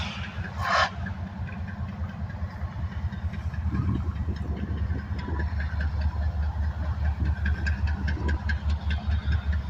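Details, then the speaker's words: Union Pacific 7319, lead locomotive of a northbound manifest, coming to a stop: deep diesel idle with a faint, loosely regular knock two or three times a second; cause unknown, piston trouble suspected. "had 7319 has a slight knocking noise I'm not exactly sure what it's caused it obviously it's not bad enough for it to be"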